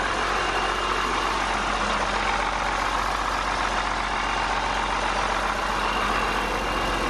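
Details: 8.3 Cummins swapped from a Ford F800 dump truck into a Case IH 2366 combine, first start after reassembly following a thrown rod, open straight pipe: steady even diesel idle, loud raw exhaust, no knocking; choppy at first, then smoothed out, smoke clearing. Normal idle.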